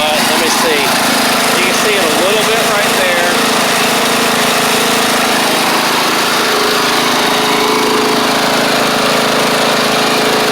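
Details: Troy-Bilt Pony riding mower with replacement engine and new head gasket, still smoking a little on startup: small single-cylinder engine runs at a steady, even speed with constant drone, no knocks or misses.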